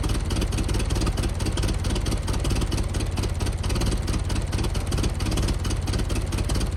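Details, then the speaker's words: 1914 Buick, about 1,776 original miles, revived after 85 years, fires after a few pulls: settles into a loose, steady chuffing idle at about two beats a second, nothing knocking, running as it should. "It's never supposed to take too many pulls, and just like that she fires right off and runs."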